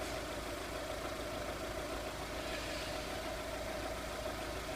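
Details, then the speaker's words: 2002 VW Polo 1.4 with P0304 misfire on cylinder 4 from a bad coil: steady, even idle with smooth hum, ignition readings on the coils nice and even all the way through; normal idle. "And you can see a good selection of the coils, nice and even all the way through."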